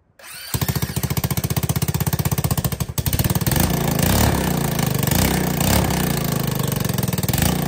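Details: ATK 125 go-kart with a newly fitted homemade welded muffler: rapid, sharp, harsh bark, only slightly quieter than before. Owner suspects an exhaust leak ahead of the muffler, since back pressure pushes fumes out there. Loud exhaust.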